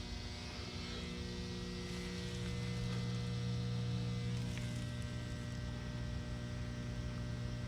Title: Electric box in the woods making noise in my neighborhood In Grayslake Illinois